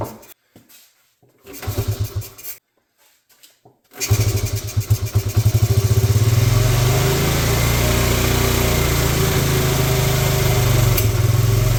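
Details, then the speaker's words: 1986 Honda TRX70 single-cylinder ATV, first start in years: a few short cranking bursts, then it catches and settles into a steady, slightly lumpy idle; it starts and runs. "see nice all right well there we have it it actually runs"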